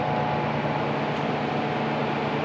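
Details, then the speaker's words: Vintage Dr Pepper coin-op refrigerator after new thermostat install to fix icing: steady even whir with faint low hum under fan noise, no knocks or rattles; compressor housing warming, compressor and fan running normally. "I can feel the compressor housing here physically getting warmer, and it sounds to me like it's on. You probably can't hear it there because of the fan, but it sounds to me like the compressor is in fact running"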